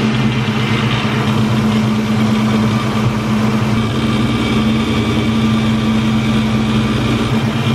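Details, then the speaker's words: Supercharged car engine at idle: constant metallic drone that goes away with the supercharger belt removed. Metal shavings were found at the alternator, whose pulley was apparently slipping on its shaft from a loose nut. Loose alternator pulley. "almost looks like the pulley was slipping on the shaft like the nuts not tight enough for something"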